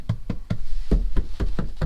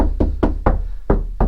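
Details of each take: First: C5 Corvette body panel after budget sound deadening, applied in a garage at about 45–50°F: knuckle raps give short, dull thuds with no ring afterward, the tinny resonance damped out. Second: C5 Corvette bare body panel in the rear/trunk area, knocked before any sound deadening (flashing and foam): six knocks ring hollow and drum-like, letting noise and vibration through easily, an undamped panel.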